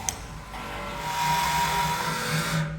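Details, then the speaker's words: Zayer manual milling machine coolant pump starts and runs with a rough gritty grind and thin whine; something caught in the impeller, and the pump-to-head line is broken. "so as you can hear the coolant pump does actually start up and run but there is something caught in the impeller and the line that runs from the pump up to the head is actually broken"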